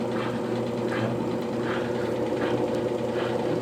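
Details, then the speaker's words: Consul CWL16 16 kg washing machine hums with a harsh, loud scraping that rises each time the agitator strokes, caused by a worn agitator hub under the agitator. "essa peça chama é o cubo que fica debaixo aqui do agitador e colocar um barulho muito forte quando ela começa agitar"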